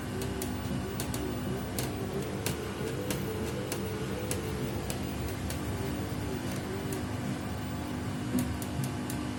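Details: Samsung WW75TA046TE/SP replacement washer, sixth day of use, noise worsening each wash: sharp irregular clicks and ticks over steady motor hum as drum turns; abnormal knocking noise, cause unclear.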